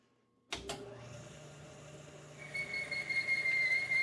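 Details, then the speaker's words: 1973 Hardinge chucker lathe, boring cut: a piercing steady whistle of tool chatter rises over the cutting hiss. Slowing down and speeding up did not help. A different boring bar is suspected to be needed. "Slowing didn't help it. Going faster didn't help it. Need a different bar."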